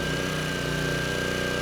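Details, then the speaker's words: Craftsman 3600 W generator with 7 hp Briggs & Stratton engine under about a 1500 W load; holds a steady, even drone with no hunting or surging, engine speed stable and sounding good. "so we're at500 Watts engine speed is nice and [Music] stable engine sounds good"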